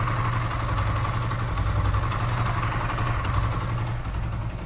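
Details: Motorcycle single-cylinder restarted after repair; a mechanic had blamed a connecting-rod knock and said the engine was finished, but the noise was fixed without opening the engine: even, steady idle with a smooth low beat, no knocks or rattles; healthy.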